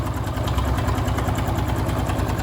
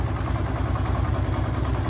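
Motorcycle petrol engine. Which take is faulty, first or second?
first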